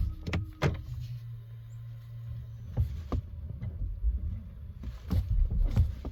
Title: thumping sound Tesla